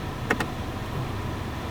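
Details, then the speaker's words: 2017 Volkswagen Passat at idle, AC previously not engaging despite correct refrigerant, working clutch coil and no codes: two quick sharp clicks as the compressor clutch engages right after the headlights are switched on; fans run. AC compressor clutch engaging. "did you guys hear that the AC compressor kicked on let's go take a look look at that guys it's working"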